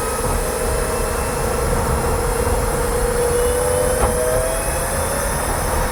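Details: Kia e-Niro electric motor while driving: thin mid-pitch whine rising slightly with speed over road rumble, not a rattle; more noticeable with windows open near walls; owner unsure if normal, cause unknown.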